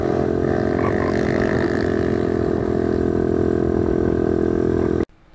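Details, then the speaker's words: TaoTao DB17 125cc pit bike, new: small single buzzes at a steady crisp pitch without misfires or rattles; runs normally. "but the bikes actually run awesome. I did have to adjust the carburetor a little bit."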